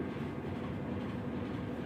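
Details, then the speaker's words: Whirlpool Expert System digital 18 kg top-load washer, after replacing the worn clutch that caused very loud noise when spinning: steady, even low rumble with no knocking, grinding or squeal; spins quietly and sounds healthy. "les muestro si ya está exprimiendo sin ruidos"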